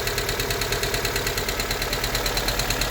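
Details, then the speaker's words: Honda Civic EK hatchback idling: sharp, even valve ticking about three times a second plus loud throw-out bearing noise that changes when the clutch is pressed; owner plans valve clearance adjustment, suspects a bent valve. "so the vowels are ticking and you can hear the throw out bearing loud noise"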